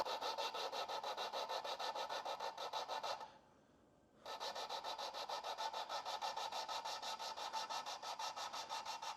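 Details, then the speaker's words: Lapping a valve onto its seat in a big block Chevy cylinder head with compound and suction-cup tool; steady rasping about three strokes a second, brief pause, then even lapping, sounding quieter as it seats. "Oh, and that's where it got a little quieter. And then I think they said just kind of like pull it out."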